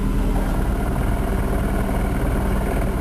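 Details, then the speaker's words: Manual gearbox, engine at 180,000, idling loudly: steady low hum and dull even rattle of shafts loose in the gearbox, persisting with clutch pressed; release bearing ruled out, gearbox suspected. "А когда надавил ещё звук это коробка о во слышно как болтается там всё"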